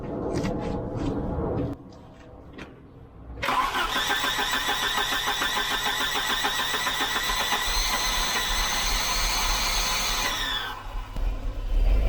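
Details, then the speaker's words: 1988 Volvo 740 GL 2.3 petrol B230F after 10 years stored, having misfired on two cylinders and died: starter grinds sluggishly for several seconds without catching; slow cranking, starter believed toasted. "yeah i think the starter is definitely toasting it"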